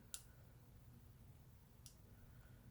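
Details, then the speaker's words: 2007 Honda Shadow Sabre 1100 motorcycle: a sharp click on each starter button press and no cranking at all, lights dim slightly; fuses, including the starter ignition fuse, checked good, so cause not yet found. "it dims just just a tiny bit showing that he's trying to start the bike but nothing's happening and no crank it's making contact in here"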